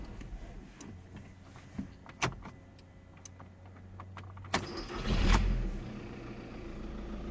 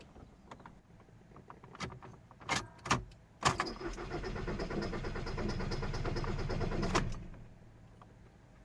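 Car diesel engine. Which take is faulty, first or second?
second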